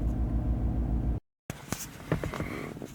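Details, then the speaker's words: Chevrolet Silverado with cylinder 6 and random multiple misfire codes, check engine light on, no power: low idle loping unevenly with a stumbling thump about three times a second, one cylinder dead. "the engine is running kind of rough and you've got the engine light on there"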